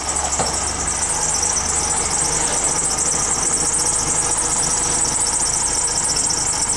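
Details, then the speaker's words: PT Cruiser project car just started, misfiring badly and likely without coolant: a constant high squeal over the idle from a slipping, squeaky serpentine belt; the engine otherwise sounds good. "But the motor sounds good, other than we got a squeaky belt over there. Motor sounds really good."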